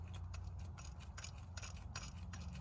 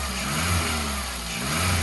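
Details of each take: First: Skoda Fabia 2 Estate, engine off, belt removed, idler/tensioner pulley spun by hand: a dry, uneven ticking and gritty rasp from a worn bearing; another tensioner near the crank is also worn, and the water pump has failed. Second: Skoda Fabia 2 Estate with the long accessory belt removed, revved higher: smooth, even engine hum with no chirp or whirr, so the earlier noise, first thought cam-like, came from a belt-driven pulley, suspected alternator.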